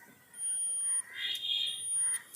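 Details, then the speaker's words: Maruti Suzuki Ertiga CNG with DTC P0134 O2 sensor fault: multimeter on continuity across the two white heater wires gives two steady beeps with probe clicks, showing the oxygen sensor heater circuit is intact. "अगर आप छूते हैं आपको beep की आवाज़ सुनाई देगी। आवाज आ रही है। इसका मतलब यह है। हीटर सर्किट काम करता है।"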